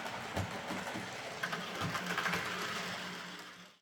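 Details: Model locomotive after a wheel setting was reset to 14.3 (it had locked the wheels on curves and points), and its bouncing rear pony truck got a stronger spring and a limiting washer: a quiet whirr with soft ticking about three per second.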